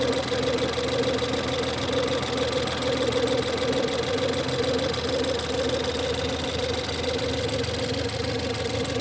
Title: 1.6 Ecoboost Howling/Whining noise cold idle start